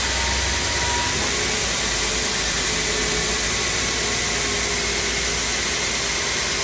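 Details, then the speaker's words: Two-head wide belt grinder (P120 then P180) finishing a 14 ft aluminum beam flange: steady hiss and rush of abrasive belts with constant high whine, no chatter or thumping; clean single pass, normal grinding. "This side, as you can see, this side, as you can see, came out pretty clean in one single pass."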